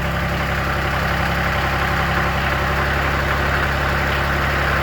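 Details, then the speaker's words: Kioti CS diesel tractor around 57°F, after a bad relay caused hard starting and a lit indicator light was replaced: steady, even chug about four beats a second, no knocks or misses; healthy idle. "sounds good to me"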